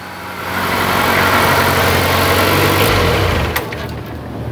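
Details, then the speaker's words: Honda Accord with low power and stalling on acceleration: on a throttle snap the engine surges then sags and nearly dies instead of revving cleanly; caused by reversed TPS and MAP connectors. "so you saw it the second I gave it any throttle at all what did it do pretty much died I I want to do that again but I'm hoping it doesn't stall I just want you to hear that bog"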